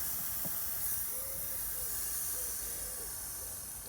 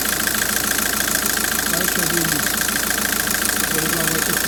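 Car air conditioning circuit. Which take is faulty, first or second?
first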